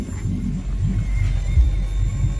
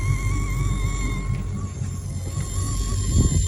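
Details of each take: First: Malibu Wakesetter boat audio, engine running: low engine rumble but speaker clean, no engine-related hiss. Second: Malibu Wakesetter boat stereo with engine running, before tightening loose amplifier grounds: steady high whine wavering in the speaker, rising when the engine revs; engine noise from a bad ground, gone after fix.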